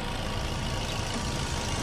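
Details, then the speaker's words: 2014 Chevrolet Spin LTZ, manual, petrol, with no flood damage: the engine idles with a steady, even, smooth low hum and no knocks or ticks. "Ini aman tidak ada bekas banjir halus sekali"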